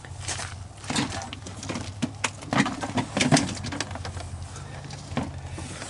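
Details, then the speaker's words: Water-damaged vintage Honda Fourtrax 300 4x4 ATV pushed along with the engine off: irregular dry snap-crackle-pop from the rear axle; no oil leak seen, owner weighing replacing the gears or the housing; cause unconfirmed. "it was doing a snack snap crackle and pop imitation"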